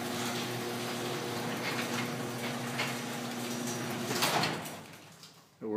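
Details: Garage door that had a sagging section causing popping, after fix by screwing a 2x4 across the sections: steady, even rumble of the door travelling, no pops or bangs, then it settles and stops; running smoothly.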